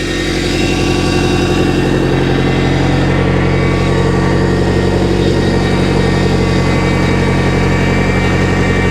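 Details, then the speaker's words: Boat inboard at idle, warming past 160° during winterization, with the steering worked back and forth: a thin, constant power steering pump whine. The fluid was found low and frothy, and a leak is present. "I can hear the pump whining a little bit. Did you see anything come out? That pump doesn't sound too healthy."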